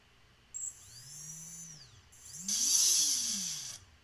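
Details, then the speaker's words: Motor 2 on an Atmospheric Adventures Atlas 180 racing drone, ESC uncalibrated: high electronic whine rising and falling with throttle blips, uneven and gritty; rough-running motor, cause unclear. "doesn't sound good. But it is spinning, so I guess we can proceed."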